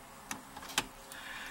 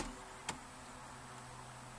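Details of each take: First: VW Beetle (1967) with a no-start, key on after a repaired wire and reconnected solenoid connector: a few faint sharp ticks against quiet. The electromagnetic jet solenoid is clicking on. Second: 1967 VW Beetle after soldering and heat-shrinking a starter solenoid wire: starter gives sharp single clunks roughly every second ("tunk, tunk") with no cranking rhythm; it engages but won't turn the engine.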